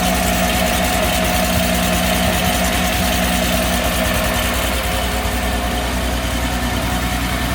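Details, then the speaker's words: Mercedes SL320 started after sitting 3 years, newly installed wiring harness found with broken wires: loud lumpy idle with an uneven stumble in the exhaust beat; misfire, not running on all cylinders. "it does run it does not run on all cylinders which is a huge problem"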